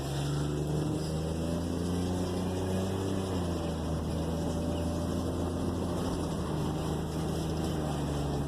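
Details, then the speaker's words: GMC Envoy test drive at operating temperature after a transmission pan cleaning, new gasket and fresh fluid: the engine note rises and falls smoothly through the shifts with no gear whine, and engagement into reverse and drive has no bang. "As you can see, she's shifting perfect now. No quieter, no gear whining, which was the key."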